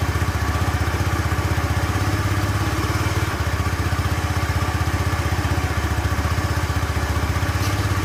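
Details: Honda Spacy FI scooter after stage-two engine repair for smoking, started up: pulsing, slightly uneven idle near 230 beats a minute with a dip midway; idle problem remains, cause unknown, to be fixed in stage three.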